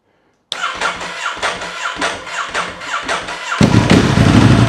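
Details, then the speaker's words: Ducati Hypermotard 1100 S, first start after a four-year rebuild: the starter churns in even beats, then the twin catches into a lumpy idle with a loose metallic rattle. This is normal dry clutch noise, though the oil vanished from the sight glass. "sounds like a bag of spanners of course that's the catti dry clutches for you"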